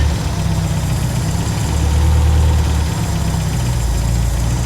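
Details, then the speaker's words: 1975 MGB that sat about 16 years, gravity feed floods the engine so fuel is given a little sip at a time: low idle drifts and surges, rising then sagging over seconds; unsteady idle, unstable fuelling, but staying running on its own. "little sip at a time but you can see she runs and she's staying running on her own right now"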